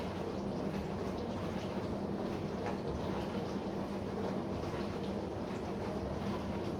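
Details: Bosch SMV53M70EU/A5 dishwasher running: low steady hum under the washing swish throughout the cycle, caused by the seal of the upper spray arm.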